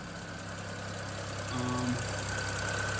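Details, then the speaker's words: 2009 BMW 335i N54 idling after upper radiator hose replacement: uneven, slightly lumpy idle with a light tick; a ticking ignition coil is suspected as the cause of this unrelated misfire at idle. "Well guys, in typical N54 fashion, it's now misfiring, completely unrelated issue."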